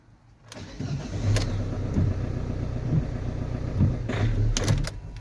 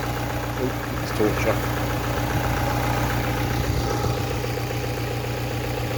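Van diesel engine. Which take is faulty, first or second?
first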